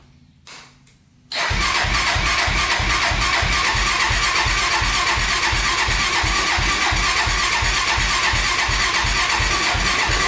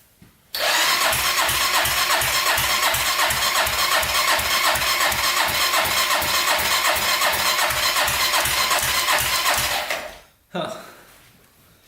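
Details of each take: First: 1999 Honda 400EX carbureted quad, stock before the turbo install, cold start at about -16° in the shop with the choke on: quick catch, then a steady, even single-cylinder idle. Normal baseline cold start and idle. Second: 1999 Honda 400ex carbureted quad during turbo install, water line unhooked: about ten seconds of even starter whir, nearly three turns a second, no firing; cranks but won't start, fuel not being pulled up suspected.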